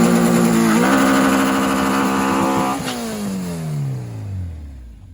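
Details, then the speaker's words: Green Integra at Wednesday night drags on 24.5-inch slicks with big ram horn: engine hangs near the rev limiter then revs sag with no gear catching; broken shifter cable, upshifts fine but won't take second or fourth; cable fixed afterward. "so basically all night long he was doing that he couldn't get any down gears which is second and fourth gear uh it up shifts fine"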